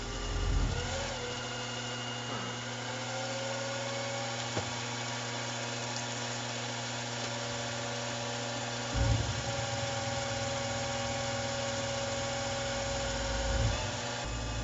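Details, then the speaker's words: Small mill cutting with a 1/2 inch end mill: spindle whine holds steady, then sags and wavers in pitch under the cut; fault in spindle driver board, not end mill size or torque. Spindle speed fluctuation. "This is right around where a problem with the spindle driver board started appearing."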